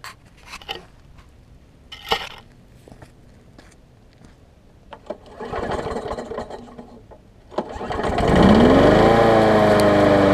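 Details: Bolens walk-behind mower: after some clanking it catches, its pitch climbs briefly, then it settles into a steady, even run at about three firings per second.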